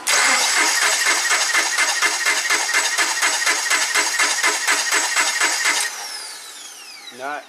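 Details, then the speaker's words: 2009 Subaru Forester crank no-start with no codes, coils swapped: steady starter cranking about two beats a second with no catch or cough, inconsistent spark (1-2-3-blank); traced to a faulty engine computer. "So, I switched the two coils around and now it cranks. It doesn't even try to cough."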